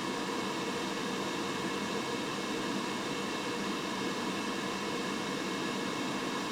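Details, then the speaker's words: Laser engraver fume extraction with an inline fan: constant airy rush with a faint steady hum and no rattle or wobble; the sound changes when the extra extraction is turned on. "Let's uh go ahead and turn the laser back on and let's turn on our extra extraction and right away you can hear there is a a difference in the sound let's see what difference we get"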